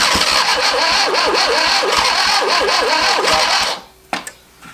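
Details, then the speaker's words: 1971 Fiat Spider 850 four-cylinder, first start after 30 years in a barn, number one spark plug not fitted and timing adjusted: lumpy, uneven sputtering with a stumbling beat and a wavering whine, then it quits; one cylinder missing and timing well off. "I've gone ahead and mess with the timing a little bit here I still can't get this number one spark plug in for now but let's see it's having a difference I think that's pretty out of whack"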